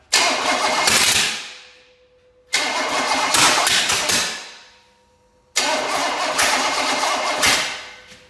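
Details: Small block Chevy engine of unknown condition, fuel poured into carburetor bowl: three bursts of steady cranking, a second or two each, no catch or firing; cranks but won't start, out of fuel suspected.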